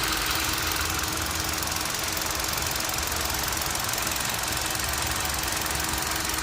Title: Knocking Sound from Engine